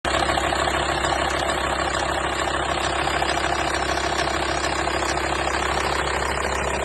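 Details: 2004 VW T5 2.5 AXD diesel at steady idle with a busy, chain-like rattle at roughly three beats a second; source of the rattle undetermined.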